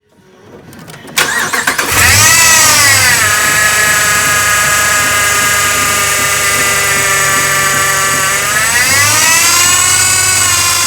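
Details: 2011 Ram 1500 Hemi V8 at 175,000 miles starting and idling with a loud high whine rising with rpm. A new belt, power steering flush and power steering pump didn't help; replacing the idler pulley bearing cured it.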